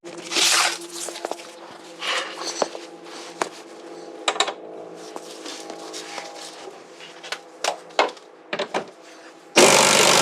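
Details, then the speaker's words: Ford Thunderbird fuel tank dropped from the car and tipped: loose, gritty rattles pour and scatter in bursts like a rain stick, from heavy loose rust debris inside the tank. "Could you hear the rust in that tank? That's one of the worst I've heard. Only my buddy's BMW was worse than this. Sounded like a rain stick."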